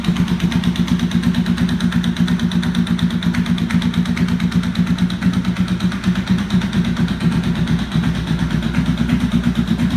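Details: 1992 Honda VFR750 streetfighter idling with a loud, sharp knocking over the engine beat from an exhaust header leak: two front cylinder head header bolts missing and pieces of the casing sheared away.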